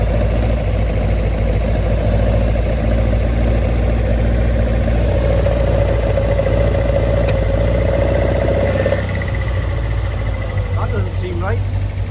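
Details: Engine with Arduino VVT controller idling below the 1500 rpm threshold: steady idle roughens as VVT engages on plugging in; cause was two wires reversed on the MOSFET, fixed afterward. Rough idle with VVT engaged at idle.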